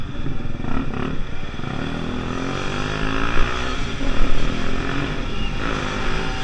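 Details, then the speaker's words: Pulse Force 50cc two-stroke road test after fuel-starvation fix, GoPro on bike, 14-stone rider. Buzzy note pulling with wind rush, revs rising cleanly without bogging or stumbling; normal running under load. "Okay guys, that was a really great test run."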